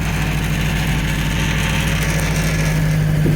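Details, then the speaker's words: Ford Escort MK3 GLE idling with timing still out and a leaking carburetor: loose, uneven rattle over the low hum from inside the front wing; suspected loose bolt or unsecured part, unconfirmed. "something's rattling inside this wing. I need to find it. It's a bolt or something or something's not bolted down."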